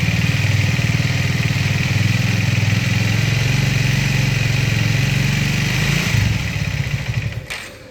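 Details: Triumph Speed 400 (2025 model year) single-cylinder at steady idle: light metallic clatter over the thump; owner suspects valve shim or timing chain, workshop investigating, not confirmed.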